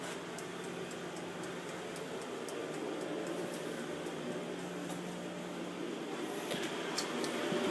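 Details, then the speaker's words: WoodGun E100 wood gasification boiler running at 400 degree stack temperature: soft steady low hum with even fan rush, no knocks or rattles, quieter than an oil burner; normal running hum. "i'm speaking and i don't know if you guys can hear it humming along but it's pretty quiet could have a perfectly calm conversation and not have any sound deafening noises"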